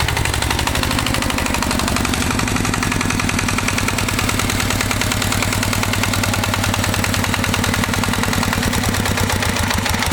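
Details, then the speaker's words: Walk-behind tractor (motoblock) single-cylinder engine after rebuild with new bushing, running at steady mid revs on hand throttle: quick even beat, no stray knocks; earlier knock gone, slight gear wear noted; normal running. "у меня движком довольны как собрал все стук перестал да там на шестернях есть износ немножечко"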